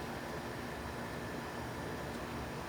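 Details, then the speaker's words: 1970s Amana 18,000 BTU (1.5 ton) room air conditioner after cleaning up compressor connections: even quiet low drone with airflow hiss, no knocks or rattles; compressor running smoothly, coil cold and sweating. "That compressor sounds good. That's quiet for one and a half ton. That sounds good."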